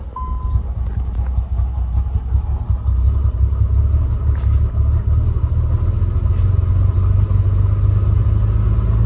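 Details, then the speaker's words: Nissan 300ZX cold start: cold idle uneven with a lumpy, stumbling low rumble, engine shaking and wanting to stall; idles better when revved and warm; misfire suspected, cause not pinned down. "As you guys can see, it kind of wants to turn off. Um, some engine shaking pretty bad."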